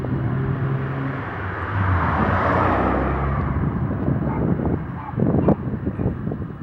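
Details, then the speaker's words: Nissan 300ZX after fuel pump replacement (previously kept shutting off; new filter, relay tried first), drive-by: engine swells and fades with smooth even exhaust note and a few pops off throttle; running normally. "she's running good [Music] you can see the fuel pump is working sounds good too when you pass by you can hear the exhaust pop"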